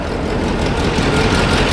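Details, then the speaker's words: 1984 GMC K10 Suburban, old V8 that had sat about a year and a half, idling after being revived: steady, even low rumble with no knocks or misses; sounding better, normal idle. "I believe it's sounding better I think it is too"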